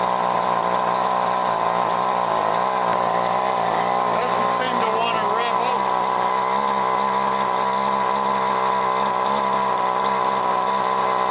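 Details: John Deere BC1600 two-stroke trimmer (Zama H46 carb), sat unused two-plus years, cold-start test run: flat buzzy drone stuck below full revs; owner suspects goop in carb, possible carb job, no fuel leaks.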